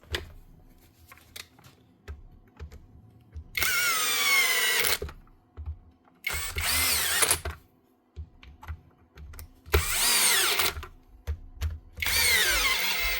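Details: Bosch hammer drill that would not switch on, after an InstaFix repair: four short full-power bursts, each a strong even motor roar that starts and stops cleanly. The motor still sparks slightly but runs fine.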